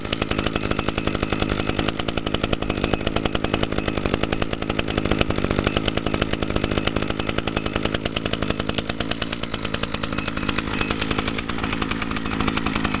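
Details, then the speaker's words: 2011 Echo PAS 230 trimmer power head, 22.8 cc two-stroke, started on choke after priming: steady high-pitched scream held at high revs without dropping out, running at much higher rpm than the SRM 225; healthy. "cool yeah as you can hear that this one runs at a much higher RPM than the srm225"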